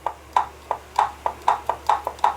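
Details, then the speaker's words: Brastemp/Consul washing machine agitation mechanism, pulley rocked by hand: sharp hollow clicks about four a second, only the pulley's normal play knocking, not a fault. "esse barulho aqui é o barulho da polia batendo"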